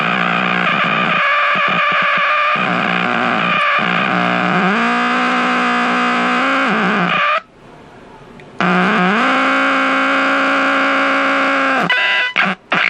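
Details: Packard Bell 35 AM tube radio under restoration, coils and tubes checked, nothing passing the IF stage; loud held squeals sliding up and down in pitch with buzzing between, no station. Tube radio squealing oscillation.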